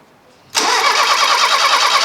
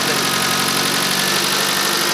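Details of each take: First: Fiat Uno Turbo stored 16 years, first start attempt, engine turns by hand: starter spins at a steady even rhythm with good compression pulses, but it never catches; cranks, no start. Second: Fiat Uno Turbo restarted after 16 years in storage: small four-cylinder ticks over at a steady, even idle with a smooth exhaust note and no knocking, sounds healthy though smells a bit rich; normal idle.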